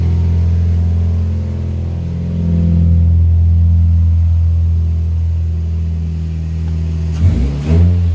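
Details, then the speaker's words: 2004 Scion xB after exhaust repair, rusty rear section welded up, no leaks found, heard in the garage: deep, loud drone rising and falling with revs, loud at the tail section, no puffing or ticking; normal exhaust note. "now again that's kind of loud but it's loud at the tail section"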